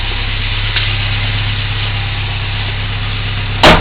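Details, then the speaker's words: 1987 Toyota 4Runner 22RE with original ECU, about a minute after starting: low uneven rumble at idle with a lumpy beat and a thump, felt in the seat; rough idle, misfire suspected. "after about a minute started probably can't hear what i can hear and feel in my seat there and provides for a little rumble in the jungle as well under the hood so"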